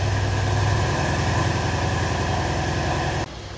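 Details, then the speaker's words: Mercedes C63 AMG with replacement engine after cam/timing work, first cold start: steady fast idle, smooth low rumble, no ticks or knocks; revs drop, check-engine light off, no codes, apparently fixed. "Oh, there we go. Now it's dropped the revs. Now they're no longer red."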